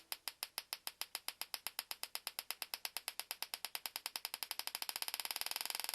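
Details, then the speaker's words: GM LS2 (D-580) coil-near-plug ignition coil bench-tested on 12 V in a high-RPM test, firing rate being increased; crisp rapid, even ticking sparks, about ten a second and speeding up toward the end; coil firing normally at high rate. "We have the LS2 coil hooked up, and let's do a high RPM test on it. Make it faster."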